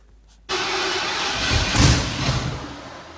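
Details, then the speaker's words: Ford Bronco just brought home, first attempts to fire it up: quiet, then a sudden rough catch settling into an uneven, lumpy run after several failed attempts; hard starting, cause not yet determined. "So we went ahead and just tried to get it to fire up, and we actually did, but as you can see, there was some failed attempts."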